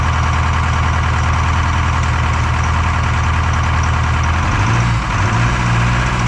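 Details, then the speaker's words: Detroit 4-53T diesel with 9G90 injectors, about 30 miles on them, run on full rack with the modulator off: loud deep drone with an uneven, loping beat. Injector number two, coldest by IR gun, not firing: dead cylinder misfire. "yeah crazy injector number two is not firing anyway extremely upset it's uh well I'm not upset the the Jimmy's upset he's not happy with that"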